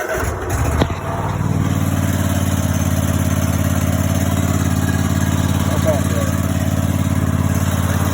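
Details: Cub Cadet XT2 mower after start-switch bypass, brake pedal down and magnet push button on: engine catches after brief crank and settles into steady, even low thrum, no misses; running normally.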